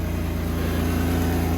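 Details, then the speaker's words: Petrol engine idling low and uneven with a faint pulsing stumble from a vacuum leak at the PCV valve, running lean; it ran differently once the bolt was pulled from the valve, temperature climbing five degrees in 30 seconds. "so lucky i didn't just send it because obviously vacuum leak causes it to run lean and it's and it's climbed five degrees in about 30 seconds just by pulling that pulling that bolt out of that valve"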